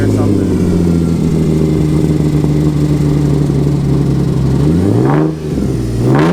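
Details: Ford Sport Trac just regained power after fire damage: engine holds a slightly unsteady mid-rpm drone, rpm drops and climbs over two revs; rough running, ran better at higher rpm, possibly gas-heavy after ignition fiddling, cause unclear.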